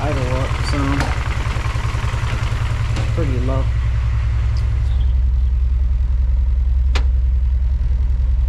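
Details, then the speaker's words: Honda G23 engine swap with a K-series intake manifold: slow, lumpy idle with a steady low thump about two to three times a second. Owner says it sounds rod-knocky and the idle needs bumping; cause unconfirmed. Rough low idle with knocking. "but it it do sound kind of rough to be honest kind of Rod kniky I need to bump the idle"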